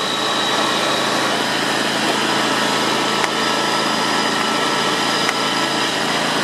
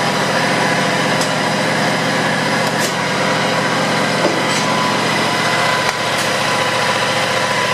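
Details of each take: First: John Deere X320 mower, 260 hours, after tune-up (spark plug, air and fuel filters, belts), PTO engaged: small engine at high speed with constant metallic hum; worn PTO clutch bearings suspected, noise absent at low rpm. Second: John Deere X320 mower, 260 hours, after PTO clutch bearing replacement and new belts: small engine at steady speed with even buzzy drone, no knocks or grinding; runs normally, repair called semi-successful.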